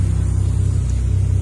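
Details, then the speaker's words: Toyota Chaser 1JZ-GTE VVTi with wrong J-pipe that can't be plumbed into its port: engine revs to about 2000 rpm after starting, even smooth drone well above normal idle; high idle from vacuum leak. "So it will just rev to 2000 once it starts, because we have the wrong J-pipe on it."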